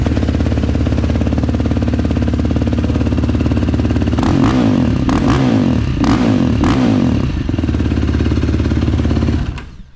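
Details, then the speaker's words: Quad (four-wheeler) just fitted with an HMF exhaust pipe: even thumping idle with a few quick throttle blips that rise and fall cleanly, then shutdown. Sounds better than before, normal idle. "And I have started it up. I'll start it up for you guys right quick, but I have started it up, and it does sound a little bit better."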